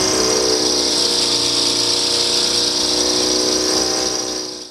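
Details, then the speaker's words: DeWalt 60-gallon air compressor, motor failed within first year (bad start capacitor), running after capacitor swap: loud drone with hiss and uneven waver, surging as tank pressure rises, then winds down — motor struggling under load. "ordered it swapped it out put it in there and now it does work like i said just not well it just kind of surges as the pressure in the tank increases and it doesn't sound very well"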